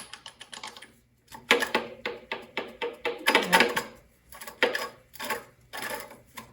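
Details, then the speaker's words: Bicycle freewheel spun by hand in a repair stand: uneven rough clicking with gritty scraping that stops; owner thinks the internal cogs are not working, hub would barely turn. "Ew, that sounds bad. Those little cogs in there are not working."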